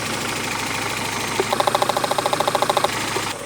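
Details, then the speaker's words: Twingo idling unevenly, running on only two cylinders, with an ECU fault suspected: a stethoscope on the injectors picks up loud, fast clicking from cylinders 1 and 4 but none from the two middle injectors. Misfire on two cylinders. "the 2 outer ones are clicking loudly. Even it's actually so loud that if I touch this part of it while touching the injector, I can physically feel the clicking, but not on the 2 middle ones."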